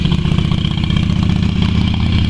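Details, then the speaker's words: Yamaha Virago XV250 V-twin after six years in storage, black fuel in its tank, fed from a spare tank and primed through the air cleaner: low, lumpy idle with an uneven, stumbling beat that never settles. "she's a bit rough runnin but she's been sitting for six years"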